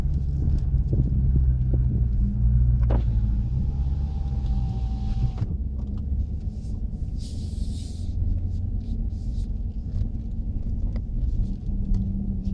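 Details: Chrysler 300 SRT Core driven in tight circles in a car park at about 15 km/h, phone-recorded: a low, steady rotating howl under the engine rumble wavers with speed. Rear driveline howl, possibly the rear diff, cause unknown.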